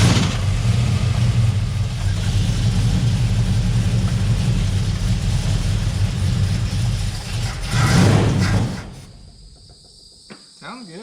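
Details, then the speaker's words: 1971 Plymouth Valiant Scamp V8, running after 16 years parked, heard from the rear: deep even rumble for about eight seconds with no bangs or knocks, then fades; no heavy smoke, no big leaks; normal running. "sounds good from the back i don't know about up here on this side does not seem to be smoking up the chop terrible no big leaks or nothing like that"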